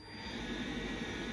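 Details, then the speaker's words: Hoover Dynamic Next DX condenser tumble dryer after repair, heater element reconnected: drum now turns where it did not before, with a steady, even rushing hum and no knocks or scraping; normal drum running. "you can see the drum turning now where it wasn't turning before you can actually hear it as well"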